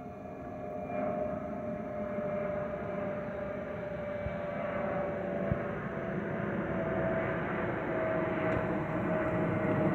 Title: Delta Airlines Airbus A319-114 N365NB DL645 MEX-DTW (FOPP Whistling Sound)